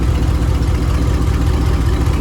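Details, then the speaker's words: Dodge Dakota R/T 5.9 V8 with a bad rear main seal, driven that way for a while: deep, even V8 rumble at idle with no knocks, ticks or misses; engine still sounds good, normal idle. "as you can see she is gone but she still sounds good i've been driving her like that for a good minute now"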